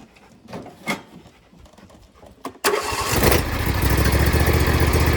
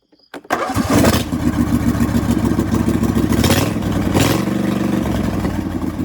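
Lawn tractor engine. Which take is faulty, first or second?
second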